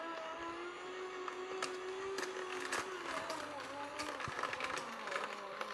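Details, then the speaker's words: Inexpensive vertical slow juicer crushing carrots fed one at a time: the steady motor hum sags in pitch under load with crunching clicks, then the blades stop as something jams the gear; the motor slows under stress. "Notice already we know how this handles stress, it slows down."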